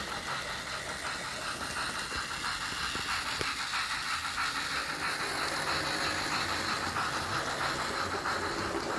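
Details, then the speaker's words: Lima model locomotive on a loft railway: a constant gritty hiss and rattle under faint steam chuffing sounds. The motor is very noisy, and a replacement motor kit has been suggested; the original rubber tubing damping is back in place. "the main issue I've got with it is the Lemma Loco here is very noisy and somebody did say yeah you need to put a replacement CD motor in it"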